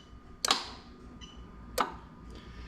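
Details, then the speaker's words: Lexus IS300 2JZ-GE VVT-i engine harness adapted plug-and-play for an IS200 with J160 6-speed manual, run in active test: A/C magnetic clutch relay gives two crisp, clean clicks about 1.5 seconds apart; normal A/C clutch relay clicking. "you're actually going to hear i've got it plugged in on the engine now i'm going to bring it a bit closer but there's your there's your ac relays"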